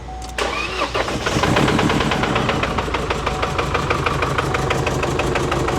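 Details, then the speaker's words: Chevy Colorado with the Baby Duramax diesel, towed in 4,000 miles after purchase: it cranks, catches and settles into a loud, uneven clatter, about three hard knocks a second, with the tensioner bouncing and a suspected exhaust leak and some smoke; cause unconfirmed. "Jeez, that is working hard. Tensioner bouncing. Sounds like an exhaust leak a little bit, too. But that is noisy."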